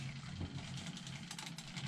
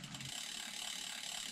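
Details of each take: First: Cube Hybrid e-bike after 3,000+ miles, riding on a quiet road: light dry ticking in step with each pedal stroke from near the motor, only the ratchet heard when coasting; cause unclear. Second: Cube Hybrid e-bike past 3,000 miles, coasting on a quiet road after a ticking heard only when pedalling: fast, light, even clicking from the rear hub with no pedal ticks; just a healthy freewheel ratchet.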